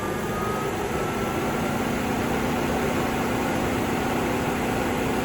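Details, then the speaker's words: Renault Zoe electric car, heat pump running with the cabin blower on and radiator fans starting: steady fan rush with a clicky, buzzy low hum from the compressor, which is normal. "So yeah. So, you can get that clicky buzzy noise. That's normal."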